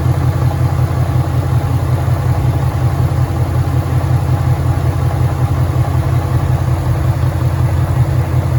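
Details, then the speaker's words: 2013 Ford Mustang GT 5.0 Coyote, manual, 81,500 miles, at idle: loud deep idle with a steady knock about three per second; owner suspects rod knock or crankshaft, new for 2-3 months, worse after driving, stalls after long drives. "So yeah, let me know what you guys think about that rot knock noise. It's something new that's just been going on for the past 2-3 months. I'm not too sure if the crankshaft is giving out or what that could be."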